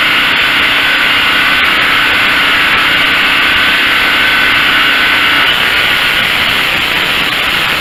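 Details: Craftsman (Generac-built) generator test run after replacing the AVR and refitting brushes, checking for full power: steady even drone at constant pitch, no hunting, surging or misfire, about 60-65 dB; running normally.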